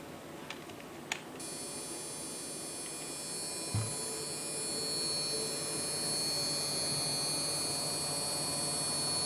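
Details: Desktop PC after a GPU upgrade to an ATI HD 5850: a steady high-pitched electrical buzz with whiny tones over the low hum, traced to the motherboard's small BIOS beep speaker; unplugging it solved the problem.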